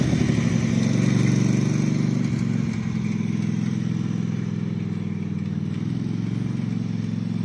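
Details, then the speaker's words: Husqvarna mower's 18hp Kawasaki V-twin revived after full pond submersion, water in oil and gas, float bowl drained, new gas with Sea Foam: steady V-twin thrum at even speed, slight dip as it settles, no misses or knocks; running properly. "it is the revival of the kawasaki 18 horse b-twin so apparently this is a really good motor if it was completely submerged under water watering the gas um watering the oil a lot of water in the oil and it fired right up and ran"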